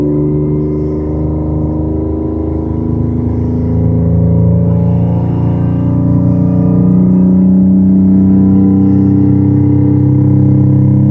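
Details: Toyota Camry revved from idle to 5000 RPM and back to idle. A raspy, droning exhaust leak note is heard, exaggerated by the phone microphone. The engine is otherwise smooth.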